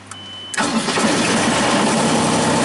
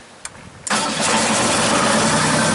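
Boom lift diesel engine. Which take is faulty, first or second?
first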